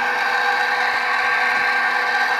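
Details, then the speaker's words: HP Infinium oscilloscope, used auction unit being repaired: steady high whir with a rough hum, no change in speed; an internal cooling fan is suspected of running rough, with a smoother replacement fan considered. "I think I think it's that one I think that guy right there the display right here the fans is what's uh what's an in rough I think this guy's okay so and see if I have maybe another fan that runs a little smoother"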